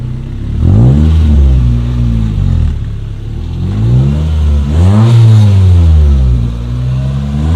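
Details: 2005 Honda Civic, stock exhaust with a new budget eBay muffler fitted via adapters and flex pipe, test ride: revs rise and fall smoothly, deep even note, no rasp, rattle or drone; healthy exhaust note.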